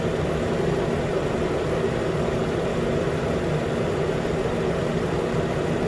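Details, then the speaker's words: 2013 Nissan Pathfinder at 265k miles, idling after AC compressor clutch and serpentine belt replacement, about 80 degrees: new clutch clicks in, low even idle with compressor engaged, no squeal, rattle or grinding; normal idle. "okay it's on again you hear the click that's a new click that's the sound of a new click yeah everything looks fine"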